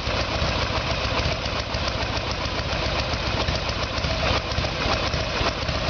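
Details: 1994 Harley-Davidson Evolution Sportster with a 1996 engine, carburetor problem, ignition timing set by the timing marks; a steady, even V-twin idle with a loping beat and no knocks or misses; normal idle.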